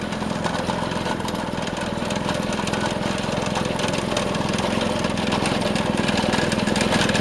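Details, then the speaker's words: Vintage Craftsman 18-inch snowblower after carburetor fine-tuning, driving at full throttle: steady fast four-stroke drone with even firing, no surging or hunting; normal running. "Alright, I got it fine-tuned, and we're ready to take it for a spin."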